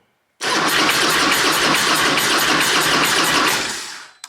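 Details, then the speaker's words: Starter cranks the Harley Road King V-twin over in a steady rapid rhythm for about three seconds on its first start attempt after fresh gas was added, but it never fires or catches: cranks, no start. "this [ __ ] crank the [ __ ] over so what should it be no what"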